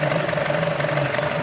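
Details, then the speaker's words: 2012 Chevrolet Cruze 1.4L with P0171 and C0050, check engine and stability lights on: steady idle with a constant airy hiss over the engine note; vacuum leak at the PCV hose. "the hood cuz I haven't done anything to this vehicle yet and we're gonna see where it did what it gives go I can already hear a hissing now as I get to show me some right here"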